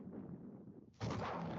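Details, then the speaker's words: Synthetic mixture of lithium battery vent gases ignited in a demonstration: quiet hiss, then a sudden loud whoomp and sustained rushing roar, a lithium battery vent gas explosion. "this is a synthetic mixture of lithium battery gases and this is what's happening in people's"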